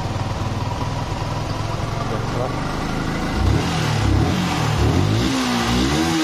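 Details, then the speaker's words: Yamaha R15 single cylinder after repair of total no-start with weak compression, caused by obstruction at the valves: settles into even idle, clean throttle blips rising and falling, no misfire; running healthy. "Oke ya, ternyata masalahnya di bagian klep-klepnya ada yang mengganjal ya guys ya nih."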